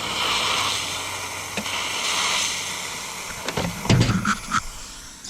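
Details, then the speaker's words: Intake pressurized with a homemade boost leak tester and sprayed with soapy water: steady airy hiss, then soft popping bubbles, as air leaks past the injector O-ring. "which we definitely have a leak and it appears to be coming from the injector oring"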